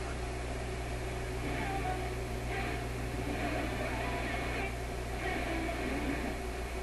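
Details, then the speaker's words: Grundig Type 238 W/UKW-I tube radio with FM distortion; alignment already ruled out and tube voltages being checked. The voice comes through garbled, riding on a deep, steady low drone: low-frequency hum modulating the audio, cause not yet confirmed. "you hear that sort of sound in the guy's voice voice is modern and modulated by very very low tone and it makes it that funny garbled sound"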